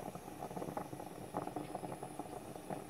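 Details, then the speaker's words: French stovetop espresso pot on the burner, lid not fully tightened so steam escapes: soft irregular gurgling and bubbling over a faint hiss as coffee rises into the top chamber; normal percolation. "That's what you're listening for. That means coffee is arriving in there."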